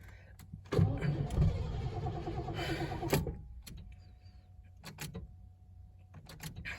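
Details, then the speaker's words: 1986 Mercury Capri 5.0, last registered 2003, after fuel system work: starter cranks evenly about two seconds then stops, never fires; battery went dead. "it definitely wants to run did you prime it oh battery's dead"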